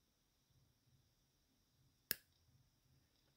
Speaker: now once i clamp i can actually feel the actual power now did you hear that did you hear that clunk that's the way the axle meant to sound